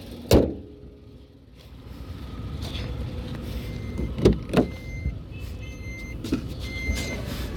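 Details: 2019 Tata Tiago XZ BS4 with a 1.2-litre three-cylinder Revotron engine, recorded inside the cabin: a low, steady idle hum under a few door and handling thumps; a smooth idle with no knocks.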